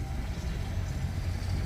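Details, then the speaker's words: Yamaha outboard on the Sportsman boat, with battery voltage good at the switch. It starts and idles with a deep, even, steady burble and no stumbles or tapping, and is charging. Normal idle. "I'm gonna guess that one's going to start just fine yeah she's charging starting to charge that side"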